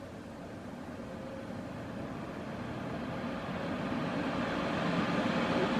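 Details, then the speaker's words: New desktop PC build on first power up, after loosening a fan screw cured a noise: the case fan ramps up slowly, an airy rush climbing louder and higher with a smooth tone and no rattle. "okay hear it yeah you I told you man that fan is freaking insane"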